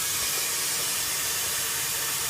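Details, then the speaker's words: Air brake system one-way check valve test: primary tank drain opened, loud steady high-pitched hiss of escaping air; secondary needle also drops along with primary, indicating a faulty one-way check valve. "If both of them drop, that means there's a problem with the one-way check valve. So I'm just going to step out here really quick. You can hear the air escaping."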